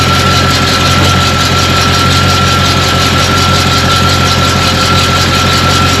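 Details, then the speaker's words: 1991 Chevy K-5 Blazer 350 V8 with 700R4 automatic after tightening loose torque converter bolts: steady, even idle rumble with a faint whine, the odd knocking at idle gone. "okay noise was gone"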